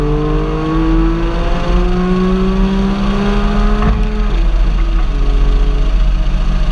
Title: Cyl 5&6 Misfire to Limp Mode @ Start at 9:20 in